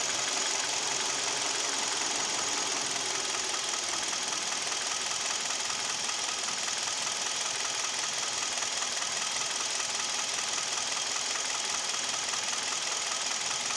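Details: Kia with G4KD Theta II engine, at idle: sharp metallic tapping two to three times a second over a steady idle, described as piston knock with vibration at idle and knocking at 1500 rpm.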